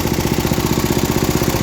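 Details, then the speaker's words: About 50-year-old MTD ride-on mower single-cylinder engine, burns oil: quick uneven thumping, revs rising as throttle shaft is pulled and unmetered air leaks through both sides of worn carb butterfly shaft. "That's unmetered air going through both sides of this butterfly shaft. Revs up."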